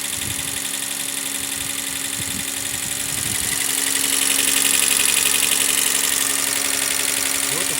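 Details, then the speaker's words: Toyota Mark II with 1G-FE engine, smoking, low compression (cylinder 4 at 5 bar, 6 near 7); idling cold while warming, steady hiss and fast regular puffing about four per second from the open breather with hose left off: heavy crankcase blow-by. "Двигатель выпускает картерные газы. Я не стал заморачиваться с установкой этого шланга."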